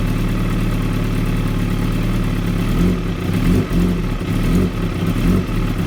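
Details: 2016 Kawasaki ZX-10R: low uneven idle with irregular stumbles and surges, beat never settling; very rough idle, cause unknown.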